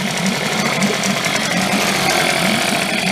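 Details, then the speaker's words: Late-1990s Mercury 5 hp two-stroke outboard, after opening the fuel tank vent and taking the choke off, runs with a steady, buzzy, even note and no misses; water pump working, normal running. "ni it quiet hey yeah so the water pump's working"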